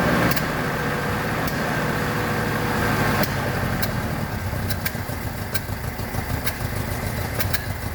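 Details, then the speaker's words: 1976 BMW 2002, Weber carbs, big camshaft, long-tube headers, ANSA exhaust, first run after 22 years: idle wanders and surges with uneven ticking about three times a second as timing keeps running away. "good okay problem I'm having is the timing just keeps running away I might have to oh go Google something about that"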